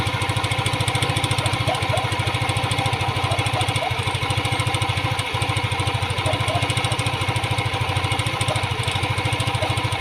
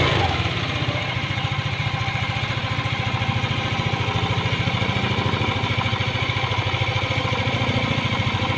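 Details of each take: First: Yamaha Aerox 155 scooter, hot engine, before repair: a fast, even metallic clatter ("tunog jolen") that appears only when the engine is hot. A loose, worn rocker arm roller in the valve train was found. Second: Yamaha Aerox 155 scooter, engine very hot, after rebuild: even single-cylinder idle pulsing about three times a second. The hot-engine 'tunog jolen' rattle is gone.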